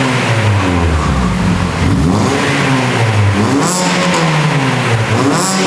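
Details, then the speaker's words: Mini revving just after its new exhaust back box was fitted for the MOT: the engine rises and falls cleanly with a couple of sharp pops on the overrun. A healthy engine with a free-flowing back box. "Oh my god, I love this car. It actually just popped. That sounds amazing."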